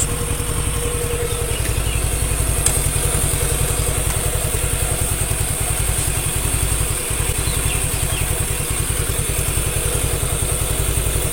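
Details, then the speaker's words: Suzuki Nex II scooter after replacing the collapsed left camshaft bearing that caused rough CVT-like noise: steady even low thumping idle, no rough or grinding edge; normal idle. "itu halus tidak ada suara kasar entah itu di bagian CVT atau di bagian mesin Tengah ini"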